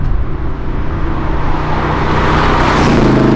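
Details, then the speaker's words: 1994 Camaro Z28 V8 with an aftermarket cam, revived from a no-start, in a flyby: deep lumpy rumble swells as revs climb; running good though not fast yet, a healthy cammed engine. "Y'all hear that cam I got in there? Woo-hoo-hoo! Car doesn't seem to be that fast right now, but it's running good, and that was really what we were aiming toward."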